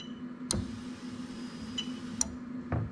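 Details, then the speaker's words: 1UZ-FE VVT-i V8 on new engine harness, no exhaust, fuel pump controlled by ECU, mic held close to relay: sharp crisp clicks over faint steady hum; normal fuel pump relay operation. "so as i said the fuel pump is controlled by the ecu so what i'm going to do is i'm going to come here so i've got my fuel pump in my thingy and hopefully i'll come nice and close and you should hear the relay click in there"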